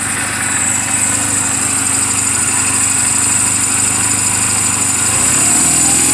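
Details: 2007 Honda Rebel 250 idling in neutral just after an oil change and valve clearance adjustment: a steady, even single-cylinder putter with no knocks or ticks, settling smoothly. The engine is mechanically sound, a normal healthy idle.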